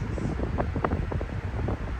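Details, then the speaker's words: Air King World Wind fan: low, pulsing whoosh that swells and fades unevenly, as if air-restricted, yet it still moves a lot of air; no bearing rumble, spin-down is decent; blade pitch, blade flex or dirt suspected. "But when it sounds like it's air restricted, it's moving a crap load of air. It's kind of weird."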